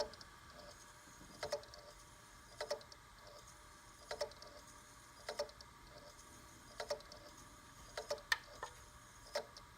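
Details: G-Technology G-RAID 12TB 2-bay Thunderbolt 3 RAID array (2 x 6TB), bought new and unused for months: sharp knocks repeat about every 1.5 seconds over a faint drive hum, then fade; the drive never shows up on the computer.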